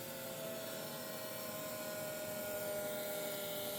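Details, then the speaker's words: 1984 Kawasaki GPX750 Turbo with a new battery: at key-on the fuel pump relay clicks in and the pump primes with a quiet electric whine for about three and a half seconds, normal, but the starter will not crank. "you can hear the fuel pump relay kick in, fuel pump priming, but nothing here."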